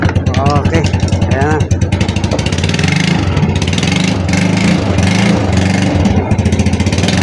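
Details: Yamaha Mio Sporty scooter that wouldn't start. The high-tension lead to the ignition coil had been chewed through; after splicing it, the engine catches and settles into a steady, even idle with no misfire or stumble. Running normally after the repair.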